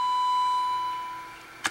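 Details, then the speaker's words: Baylor 6 radio after electrolytic capacitor replacement and output transistor wiring repair, fed a 455 kHz tone from a signal generator: clean steady high beep through the speaker, fading to a click; IF and audio stages pass signal. "you can hear that is the hp signal generator generating a 455 kilohertz tone or signal with a tone and you hear i can turn it up or down here"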